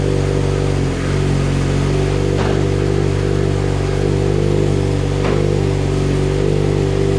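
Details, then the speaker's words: Mitsubishi Evo X 600bhp build, cold start after engine rebuild and turbo fit: loud, loping, uneven but steady idle, lumpy due to high-lift cams and dual valve springs, which the owner says is normal. "Now when I do start it, it's going to sound lumpy. That is because we've got high lift cams and the dual valve springs, so that is pretty normal."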